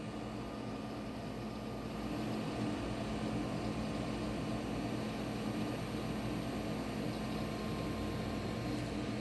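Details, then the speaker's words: GeForce graphics card fan after removal, cleaning and lubrication with industrial vaseline to cure noise: steady, even whir, now running smoothly with no rattle, ticking or grinding. "o cooler já não tá mais fazendo barulho oi vó tá rodando lisinho"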